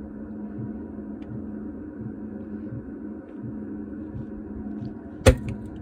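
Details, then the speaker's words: Diesel heater started after carb cleaner sprayed through fuel line to clear white smoke: low steady hum with faint soft thumps, then one sharp bang; delayed-ignition explosions at startup before it ignited, afterward no white smoke. "It's exploding. Do not try this at home. I heard it ignite on the first try this time."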